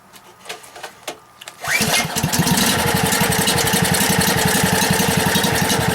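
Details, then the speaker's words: Husky 1850 W generator, about 5 hp, Mikuni T3044 carburetor converted to natural gas, choke closed, gas valve opened slightly: cranks, catches and settles into a steady even single-cylinder beat; runs healthy on natural gas. "okay so there you got it probably the easiest simplest and cheapest conversion to the natural gas"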